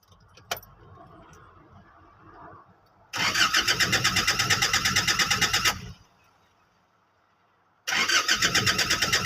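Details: Diesel pickup: the starter cranks in two bursts with a steady chug of about three beats per second, but the engine never catches; crank, no start.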